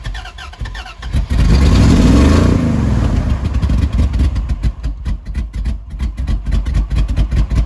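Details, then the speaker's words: Truck needing gas pedal floored to start: catches, surges, then stumbles with popping and near-stalling bursts, loss of power; owner suspects timing slipped a tooth or two. "loss of power backfiring popping things like that and that's what it's doing um running like poop"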